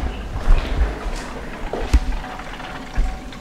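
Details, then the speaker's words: Corvette C7 Z06 coolant pump running during bleeding procedure: low gurgling and sloshing as coolant pushes through lines under steady pump drone, consistent flow, no leaks; normal pump flow. "hear it pushing through it's kind to fill up no leak on this end no leaks on this end but you can hear it filling up"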